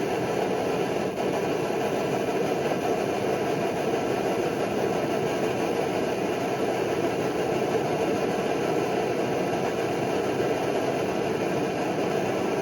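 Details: Early Primus Omnifuel stove burning kerosene, warmed up, fuel valve turned down to remove the chug. Even, steady rushing roar with no pulsing or chugging; burner running cleanly.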